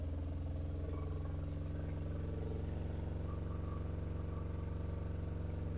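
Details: BMW R1150RT boxer twin, first run after clutch and starter motor strip-down rebuild, tank not yet fully refitted: steady, even low smooth drone with no knocks; sounded all right, better than expected.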